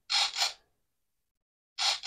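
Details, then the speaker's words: E-Flite Turbo Timber Evolution RC plane elevator servo during ESC programming on the bench: two short high buzzes, a pause, two more, sweeping quickly and stopping cleanly; normal servo movement. "you're hearing the elevator serve"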